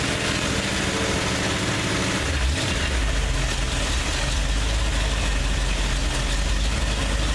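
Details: Freshly rebuilt 302 V8 just after oil change, first run of owner's rebuild; deep steady idle with brief throttle blip, no rattling, knocking or smoking; runs healthy, normal idle.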